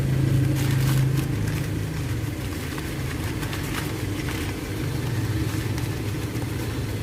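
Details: Engine losing power with a cylinder 3 misfire detected at 30 to 50 km/h: it runs unevenly with an irregular stumble in its low beat, roughly three uneven pulses a second.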